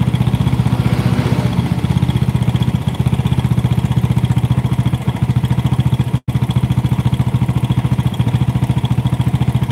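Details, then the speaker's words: Yamaha Force two-stroke motorcycle at idle: a loose, clattery idle with a rapid knock riding on the two-stroke beat. Rattle from the worn clutch housing damper rubbers. "nah yang kalau motor itu stasioner bunyi Pak karet koplingnya Pak"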